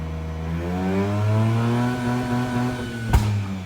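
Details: Mazda RX-8 rotary with prior starting issues, revs dropped toward 3k after shooting flames: revs sag toward idle with a sharp pop, rough and ready to quit near 1k; check engine flashing, overheating; owner suspects blown head gasket or worse.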